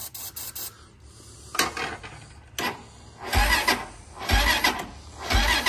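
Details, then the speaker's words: Honda TRX400EX ATV with an engine rebuild planned: short, sluggish cranking bursts about once a second that never catch, because the brand-new jump pack is too weak to crank it. "That ain't near enough to crank it. So, we'll charge this and try again. Maybe I get a little better bite on it. Nope. We'll have to charge it because this jumper is brand new and a piece of shit."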